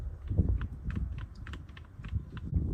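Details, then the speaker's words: 2003 Honda Element axle, about 45°F: dull uneven clunks as shaft is twisted by hand show excessive play in a worn CV joint. "this is what it sounds like over here on the cv joint so you grab this and twist back forth hear that how much play that has"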